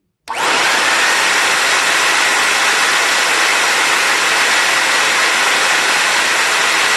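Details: Compact TriStar C8 two-speed vacuum, Ametek replacement motor (upgrade from early-1970s 6 A model) after bearing replacement and greasing: spins up quickly to a steady high rushing whir, no grinding or rattle; 9.3 A on high, healthy.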